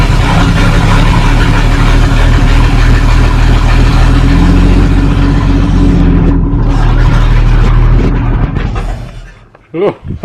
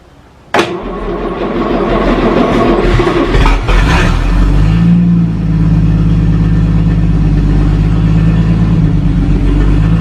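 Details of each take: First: 1937 Talbot saloon with a 3.2-litre six-cylinder engine, laid up since the mid-1970s, with its fuel system bypassed after its carburettor was cleaned. It runs rough and shaking at a low, steady beat for several seconds, then dies. Oil pressure read about 50. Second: 1937 Talbot saloon 3.2-litre six-cylinder, first run since 1976, with a choke across the inlet: catches, a few uneven revs, then a steady low even idle; runs a little smoky, oil pressure about 40 at idle, 50 with revs.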